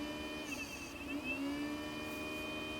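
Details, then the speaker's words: 2004 Japanese original Xbox (Kasumi Blue) after a PSU swap, booting with no DVD drive or hard drive and showing error code 7: steady loud whir with mid-pitched hum, hiss and whine; loud cooling fan noise. "Wow, that fan is noisy."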